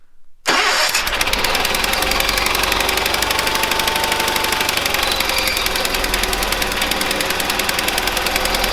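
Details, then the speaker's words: 1970s Bolens QT16 tractor, long unused, with old gas and gravity-fed fuel. It catches after a pause and then chatters fast and unevenly on half choke; the carb needs cleaning; hard start, rough running on choke. "it's about half choked so that carb needs cleaned out it's not running so great obviously remember this is yeah we're gonna have to clean that carb out for sure"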